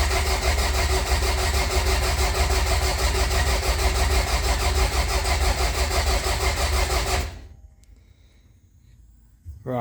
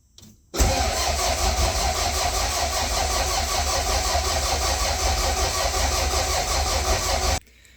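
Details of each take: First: Toyota Celica GT-Four ST185 with a 5SGTE Beams engine, cranked without starting to build oil pressure after final assembly: strong, even starter churn at about three compressions a second, faster after a loose battery terminal was tightened; normal cranking. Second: Toyota Celica GT-Four ST185 with 5SGTE Beams engine, cranking with crank sensor unplugged to check oil pressure: even but sluggish crank about seven seconds without firing; loose battery terminal, tightened afterwards.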